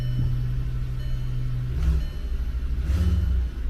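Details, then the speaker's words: Five-cylinder engine at 222,000 miles on an insurance-auction car, started for inspection: steady low burble at idle with two quick throttle blips, no knocking or missing beats; runs healthy, normal idle. "Yeah, it sounds good."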